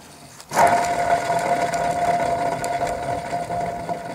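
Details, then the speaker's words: MTD ride-on mower deck spindle spun by hand: steady ringing whir with slight roughness as it coasts down; bearing has play and is suspected worn. "Alors, est-ce que le roulement est mort? Il y a du jeu dedans. Il fait du bruit."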